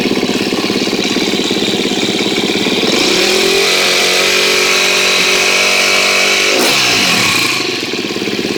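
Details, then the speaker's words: 2013 KTM 250 EXC-F after valve clearance check and Dirt Tricks cam chain tensioner install, first start: crisp single-cylinder bark settling to steady idle, then a clean blip and fall, no chain rattle or ticking; runs well so far. "well that sounds pretty good so far let's hope it stays that way"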